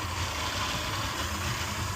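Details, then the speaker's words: Suzuki 150 outboard that hadn't run in a while, just started on a customer's boat, battery charging, no RPM reading: low, steady idle murmur with even beat and hiss; normal idle. "All right, success. We got it fired up."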